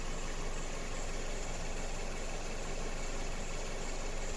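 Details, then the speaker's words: Mazda CX-7 2.3 idling with misfire after replaced engine, software and injectors; uneven stumbling beat about three per second; scope shows injector signals differing between cylinders, with misfires on two cylinders. "є в нас відрізняється бачите відрізняються у нас як результат у нас пропуски запалення циліндра"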